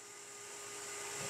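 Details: Centrifugal water pump running normally against a partly closed discharge valve: steady even hum with thin constant whistle and airy hiss, no knocks or rubbing; higher pressure lowers current draw.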